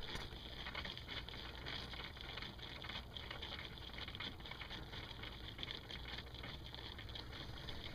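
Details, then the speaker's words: Zerostart tank-type inline engine block heater on a V8 truck, engine off, hoses and water pump hot, no leaks: faint gurgling coolant trickle, pump inaudible; normal coolant circulation. "just gurgling a little bit you can't hear the pump"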